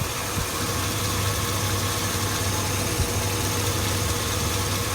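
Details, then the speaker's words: 2002 Chevy Avalanche 5.3L V8, warm idle: a smooth idle with a constant light tick on the left side and the check engine light on but not flashing. The owner suspects a cracked manifold, muffler or valve rollers. "but the light won't go off now and it's ticking all the time when you start up too just on the left"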